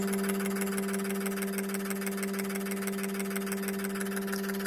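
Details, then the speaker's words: Injectors from a Ford 2.3 turbo (originally from an '88 Thunderbird), after ultrasonic cleaning, on a bench idle flow test: steady pump hum with fast even ticking, about three a second; injectors cycling normally, spray not perfect but acceptable. "I'm not going to say those are perfect, but that should get us running."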